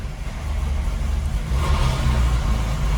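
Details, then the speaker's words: Porsche 996 GT3 flat-six first start after new plugs, coil packs and timing chain tensioner: rough, clattery "marbles in a metal can" rumble that settles as it runs; normal cold-start valvetrain rattle that these cars all make. "Man, that marbles in a metal can, I think they call that when you first start these cars. Like, man, that's an awful sound. But they all do it."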